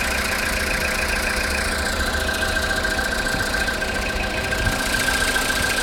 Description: Стук в двигателе после запуска после ночной стоянки. Если погазовать то становиться тише.